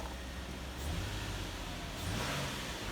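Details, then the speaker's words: Nissan Maxima after fixing P0221 throttle pedal position sensor code and erasing it: quiet idle rises smoothly with one throttle blip and settles without stumbling, no check engine light; normal throttle response. "okay it's working we'll take it out for a test drive"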